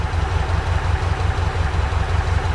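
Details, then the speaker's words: Ford Capri Calypso idling after its first start in 14 years, running on float-chamber fuel. Steady, even low idle with a smooth rhythmic pulse and no knocks or misses; normal. "Sweet is enough. I'm still going to keep running to see how long how long it lasts."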